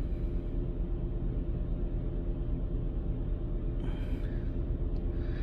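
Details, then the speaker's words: 2004 Toyota Camry, about 198,000 miles: low, lumpy idle with an uneven stumble near two per second; scanner shows cylinder one misfire, ignition coil suspected. "all right back to this cylinder one misfiring okay and that's because of the uh cylinder one smith's firing okay"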